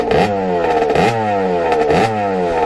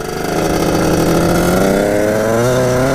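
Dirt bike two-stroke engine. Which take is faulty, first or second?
first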